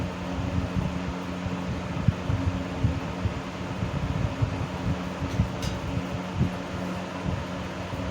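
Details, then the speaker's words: 1970s 16-inch Toastmaster box fan with its original bent blade set, counterclockwise rotation, on low speed: low steady hum with uneven throb and scattered rattly ticks from wobbling blades, noticeable vibration; fan blade imbalance. "So yeah, it's got some vibration to it. Those blades are not very well in clock at all."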